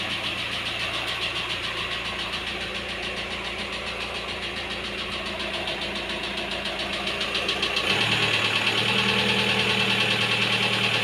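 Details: Volkswagen T5 engine: regular knock about two to three times a second over the idle, then the engine note rises and steadies; engine knock, source unconfirmed.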